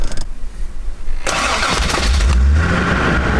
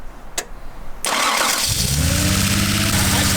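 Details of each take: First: Toyota Celica Supra after head gasket, valve, water pump and alternator work, cold start: brief crank, catches and settles into a smooth, even, slightly raised cold idle that drops to about 800 rpm when warm; runs healthy. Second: 1984 Toyota Celica Supra 5M six after head gasket job, new plugs, compression 170–185: starter whirs, engine catches and idles with a slightly uneven stumbling beat, a misfire from a loose injector wire.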